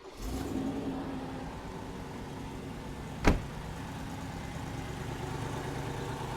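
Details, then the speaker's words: Old Mercedes V8 started from outside the car after lubricating sticky throttle linkage that caused fast idle: catches and settles into a low, steady, even idle with a smooth rumble. "I would say that's quite an improvement. The moral of this story is keep that throttle linkage lubricated."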